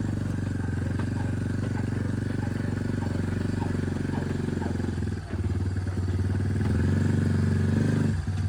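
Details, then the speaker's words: Lifted Big Red after 3 years of weekly hard mudding, test ride, steers like a tank: uneven clicking and clunking two or three a second under steady engine drone from worn bearings and a failing U-joint, which then snapped; bearings and U-joint to be replaced. "My God, this thing steers like a tank. Clunk clunk. Or clunk clunk."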